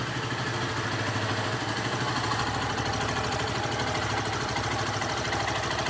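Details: 2012 Fan 150 fuel-injected motorcycle at idle: fast even ticking chatter over steady single-cylinder idle, about three beats per second; engine noise of unknown cause.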